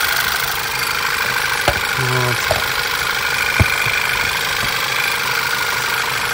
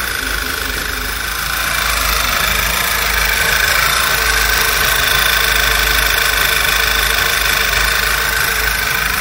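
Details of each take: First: VW Passat B7 1.8 TSI petrol, after repair of rough idle, misfiring, jerking and whistle when warm; smooth steady idle, no whistle or stumble, a few stray clicks, no fault codes: normal idle, engine running perfectly. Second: VW Passat B7 1.8 TSI petrol at idle: engine runs unevenly and jerks, with a high whistle like a squealing belt or air sucked through a small hole, worse once warm; cause a failed PCV breather with torn or sticking membrane, replaced with new.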